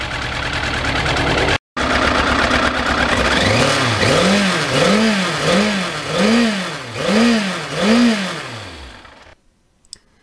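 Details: 1991 Yamaha FZR 1000 after replacing fuel pump and spark plugs on a cold damp day: clean, even blips about once a second over a steady idle, crisp, no misfires; runs healthy.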